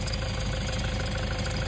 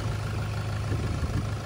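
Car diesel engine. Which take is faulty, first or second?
first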